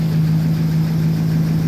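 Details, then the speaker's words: First start after a full engine rebuild (cam, lifters, new oil pump) at 208,935 with a Diablo tune loaded: a deep, steady idle with no ticking, misses or shake. No dash lights except tire pressure. "No lights on the dash but the tire pressure. Listen to that motor. Sounds great."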